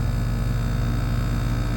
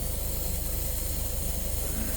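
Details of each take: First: Outdoor unit of a roughly one-year-old YXV split-system AC, found 10 lbs low on refrigerant from a leak, during pump-down with valves being closed: steady low, even compressor hum without knocking or rattling, running normally before slowing to stop. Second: Refrigerant leak: steady airy hiss over low fast pulsing from a newly replaced coil in a communicating variable-capacity outdoor AC unit; oil visible, leak coming out the bottom, coil reportedly shipped without nitrogen holding charge.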